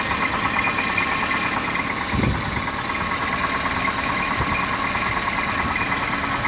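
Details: Idle with a light, uneven knocking tap throughout and one louder thump. Owner suspects piston slap and notes the PCV needs servicing; not confirmed.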